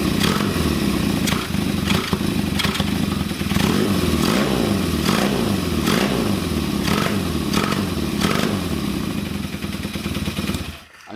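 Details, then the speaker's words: Kawasaki KZ400 with Mikuni VM30 carburetors and DNA filters, during carb tuning: very fast throttle snaps make revs stumble and lag, nearly dying, while slow inputs sound fine; hesitation on snap throttle, mixture and idle jet being adjusted. "so gagging it as you can hear wants to kill it that's a very very fast throttle gag"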